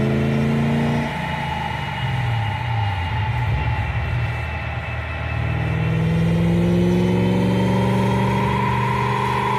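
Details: BMW E31 840ci with M62 V8 after a manual swap and new 2.5-inch cat-equipped X-pipe exhaust, on a dyno. Pulls cleanly from low to high revs with an even rising tone, no misses or knocks; normal full-throttle pull.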